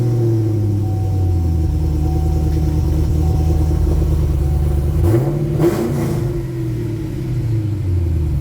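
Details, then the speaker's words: 2013 Gen 5 Camaro LS3 V8 with modified exhaust, Borla mufflers and X-pipe: deep, even burble at idle, then a clean throttle blip that rises and settles smoothly. A healthy engine. "And the sound, the sound is just about enough to make me wet myself, which would sound great in a 68 Camaro as well."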